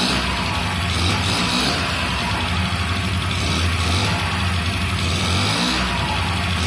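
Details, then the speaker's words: 1995 Honda Elite 50cc (SA50P) two-stroke scooter, rescued from trash, first start after replacing the bad ignition coil that caused no spark: it runs at a steady, even buzzing idle with a brief blip, under loud music; normal idle. "oh so wheat it actually starts that's the first time i've had this thing started ever since i rescued it from the trash so cool"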